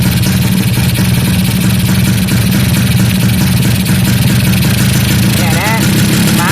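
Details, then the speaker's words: Kawasaki GTO 125 two-stroke with rotary disc valve, idling after fuel tank cleaning, new 2T oil line, bleeding and 2T pump adjustment, before the throttle is blipped: a buzzy, steady idle with even firing and no misses or rattles. Normal idle. "ตอนนี้เครื่องยนต์เดินเบาอยู่ประมาณนี้นะเดี๋ยวครูจะเริ่มขยับคันเร่งท่านดูนะครับ"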